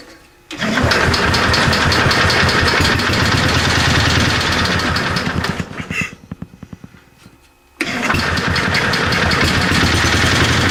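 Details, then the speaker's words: 725 small engine, freshly refueled, driving under its own power with a little throttle after sitting a long time. It catches and runs with a steady beat, sags briefly, then picks back up. It runs normally. "okay so it does does move we didn't try any of this but i'm sure i'm thinking everything's pretty much okay with this"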